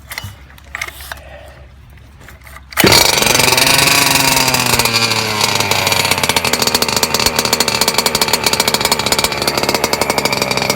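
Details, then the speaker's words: Small two-stroke restarted after a few hours, set really rich and drinking a lot of fuel; it bursts into a high, buzzing run with a steady, slightly burbly note. "It's been a few hours now, and this sucker is going through fuel, boy. It is drinking. It seems to be thirstier. I have it really rich as well, so alright, let's fire the sucker up again."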